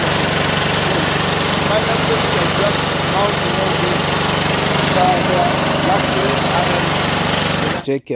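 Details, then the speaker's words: Engine after starter motor rebuild: catches and settles into a steady, even run with no knocks or grinding, then cuts off cleanly; repair successful. "then now let's start it and you see yeah pretty cool so the guy gives a positive results after all that struggles"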